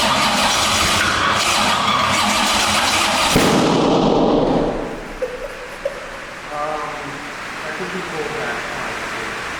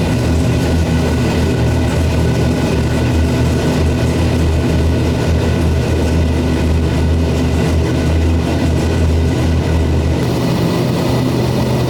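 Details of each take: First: C6 Corvette drift build, 427ci single-turbo Gen III LS, first startup, starter on separate battery after ECU voltage drop: harsh ragged cranking ends in sharp backfire crack; no start, swapped cam sensor wires suspected. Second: First start of a C6 Corvette drift build with a 427ci single-turbo LS V8, after swapping crank/cam sensor wires; deep steady rumble, idle slightly uneven and unsettled but holding; rough idle after first start.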